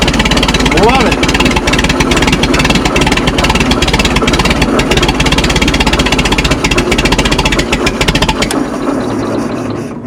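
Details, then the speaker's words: Minneapolis Moline Z tractor after rewiring: uneven chuffing beat about three to four pulses a second, not quite regular. Running rough, cause unclear. "right. Doesn't sound quite right yet, but uh I'm going to get get this stuff bolted down."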